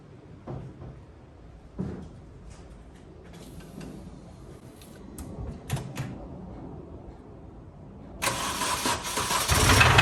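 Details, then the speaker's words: 2005 Mini Cooper S R52 convertible bought with a reported noisy engine, first start on jump leads with oil unchecked: clunks while cranking, then runs loud, harsh and clattery with a heavy knock. "apparently it's gotten very noisy engine so you're going to hear at the same time as me I've hooked the jump leads up so let's see if it fires what the racket is"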